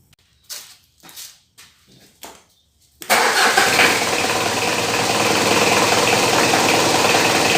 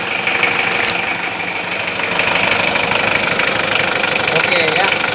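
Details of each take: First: Diesel started and idling: loud, steady high-pitched squeal from an aged fan belt, quieted by lubricating the belt. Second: Diesel engine idling after greasing the fan belt to cure its noise: even idle clatter, no squeal or chirp from the belt; fan belt now quiet.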